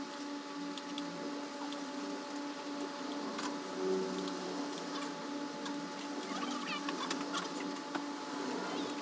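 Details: Honda CRF250L (same engine as Rebel 250/CB250R), 3,851 km, noise grew louder since new and began stalling; busy mechanical ticking and tapping at idle over a steady top-end hum. New cam chain tensioner didn't help; old fuel caused abnormal combustion damage.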